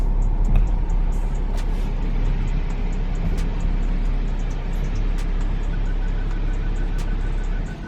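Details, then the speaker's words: BMW N55 in F15 X5, bought at 97,000 miles, after replacing the valve cover and its PCV valve, pulling into the garage with start-stop enabled: steady low engine hum, no squeal at stops, whisper quiet; normal running. "whisper quiet the issue is gone"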